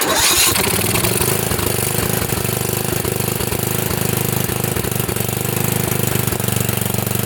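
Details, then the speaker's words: Craftsman riding mower with a Tecumseh engine leaking oil from a seal, after a plug clean: steady single-cylinder chug at fast idle while the leaked oil burns off and the smoke clears. Engine running while burning off oil smoke. "all right it stopped smoking a lot I'm gonna head out"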